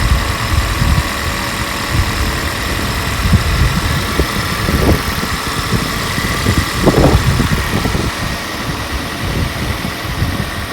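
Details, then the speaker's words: Toyota Corolla in an oil-burning experiment series, just started after doubts it would run: steady, even idle with no rattle or tapping heard over the engine; normal, healthy idle. "Wow, wasn't expecting that. And you know what? I don't hear any rattles."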